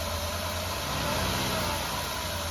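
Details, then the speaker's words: Mazda Tribute 3.0 V6 (Ford engine) with a misfire code on cylinder 5, whose coil sits at the front: a low, uneven, lumpy idle as the engine shakes from the cylinder misfire. "so the engine shakes it's not running right you know things aren't doing what they're supposed to"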